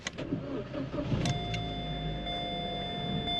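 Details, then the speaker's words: Salvage crashed Corsa, petrol, with a full tank: a quick crank catches cleanly, then a quiet, smooth idle with a faint steady whine and no knocks. The engine sounds healthy and quiet. "sounds nice and quiet. Sounds quiet, doesn't it?"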